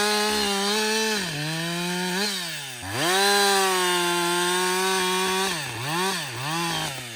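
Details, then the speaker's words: Husqvarna 562XP chainsaw, reflashed by the dealer after dying when hot, not starting and stumbling; about an hour into running. It revs high, dips and picks up through several cuts, pulling evenly with no stumble or misfire. It runs normally under load. "so far it's running great"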